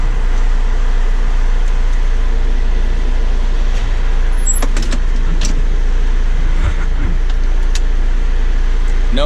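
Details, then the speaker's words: John Deere 6410 tractor after fixing the forward/reverse lever switch that beeped in forward or reverse: deep steady diesel drone with no beeping; runs normally, warning buzzer quiet. "more buzzing. You can go forward, backwards, back"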